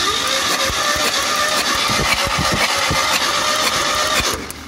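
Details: Chevrolet Opala 2500 4-cylinder with Beetle carburettor, cranking with compression gauge fitted: uneven, lopsided starter rhythm about four beats a second; head gasket blown between cylinders 2 and 3, misfiring.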